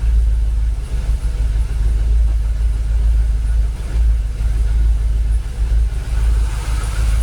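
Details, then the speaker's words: Jaguar XKR V8 whose fuel pumps sat dormant 10 years and which had been stalling after a few minutes: low, steady rumble at about 800 rpm idle with no knocks or misses, fuel pressure holding 45 psi. It idles smoothly. "Actually, to be fair, sounds alright, doesn't it? Or am I just being a bit optimistic? Does that sound alright? Sounds alright, doesn't it?"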